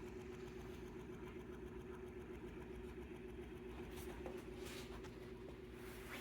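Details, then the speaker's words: Electric fan running slow and sluggish, behaving the same with a new capacitor, with no capacitor, and after oiling: low steady hum with a soft beat about 220 times a minute; owner unsure whether motor or capacitor is at fault. "t's slowing down slowing [Music] down I got a brand new capacitor none of these capacitors actually work jeez"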